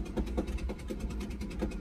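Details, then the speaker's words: Ford Excursion 6.8L V10 with a blown-out spark plug, driven home: a sharp popping pulse about every fifth of a second over the low drone, combustion popping out of the empty plug hole. Not good for the motor. "It is not a good noise, and it's not good for the motor. It's just the combustion and all of that stuff that's just popping out."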